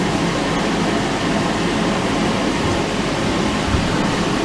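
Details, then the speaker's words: Suzuki GSX-R 1000 streetfighter after fitting a new petrol tank, no leaks from the sender unit: steady, even rumble with no misses or knocks, settling into a smooth idle; normal idle. "all running beautifully, so just once I'll double check the system, make sure it's not leaking,"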